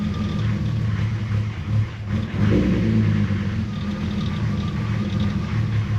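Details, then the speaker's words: BMW E36 with M50 intake manifold conversion, first start after vacuum-leak fixes: low uneven idle rumble with wandering rhythm and dips; still rough idle, vacuum leak suspected, not confirmed; sounded better on second run. "Well, it still sounds like shit."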